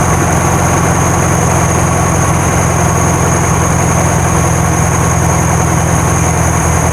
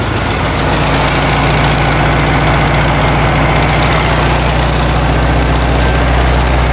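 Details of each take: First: 1972 VW Karmann Ghia air-cooled flat-four, first start after sitting many years, no choke set up, valves not adjusted: loud steady idle with slightly lumpy irregular beat; normal idle, slightly jumpy. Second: 1972 VW Karmann Ghia, air-cooled carbureted engine, first run after sitting for many years, choke just adjusted: a loud, slightly uneven low chug at idle that hunts; it sounds good but a little jumpy, and the valves have not been done yet.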